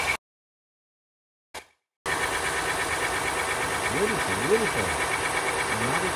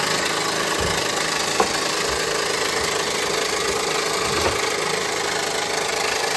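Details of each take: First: 2015 Honda Pilot 3.5 L i-VTEC after timing belt, tensioner and harmonic balancer work for an engine noise: after a short dropout the engine settles into a smooth, even idle with no knocking or ticking. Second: 2015 Honda Pilot 3.5L i-VTEC: loud idle with an uneven knock and rattle riding over the engine at crank speed; failing front harmonic balancer.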